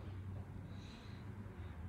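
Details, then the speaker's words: Car with a steady low droning hum while driving, from a cupped, scalloped tire with uneven high and low tread, earlier misdiagnosed as gearbox noise. "ang noise ng tire na may scop ito scopo may mataas may mababa So umaalon yung [Musika] gulong"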